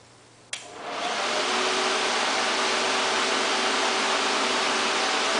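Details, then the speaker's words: VW Transporter Doka EV conversion, fans on the radiator cooling the Curtis controller, paper shop towel taped on so the air is audible: click, then smooth steady rush of air spinning up within a second; fans move plenty of air, working well. "this moves quite a bit of air. For the size, they work very well."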